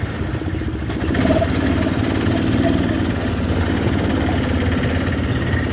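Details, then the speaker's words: 400 big-block V8 in a long-bed truck, just reassembled after head removal to repair exhaust bolt holes, idling outside on its wheels: deep, even burble at steady idle with no ticks, knocks or misfires. "i'd say the carburetor is probably pretty good on it right now it runs pretty decent now yeah the starter just sucks"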